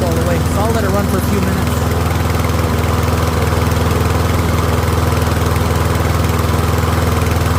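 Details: Troy-Bilt rear-wheel-drive mower with Briggs & Stratton engine, after ultrasonic carb cleaning, warmed up and left running on partial fuel, pretty quiet: steady, even single-cylinder beat at constant speed, no misses or surging; running healthy.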